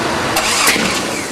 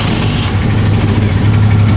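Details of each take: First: Jeep cranking with the distributor just turned 180 degrees from its original position (rotor moved from 5 to 2), tried from number 1: sharp, gunshot-loud backfire pops as it tries to catch, apparently no spark; backfire from ignition timing 180 degrees out. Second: Jeep idling without throttle after the ignition timing was set by turning the distributor until it ran, following a stall: a low, even idle with a steady deep rumble and no stumbles. Normal idle.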